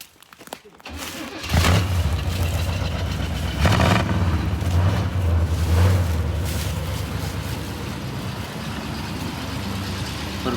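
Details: C20 pickup with 350 cu in V8 and 3-speed automatic, left sitting outside for over a year: cranks briefly and catches at once, settles into deep, steady V8 burble with no knocks or misses; healthy idle.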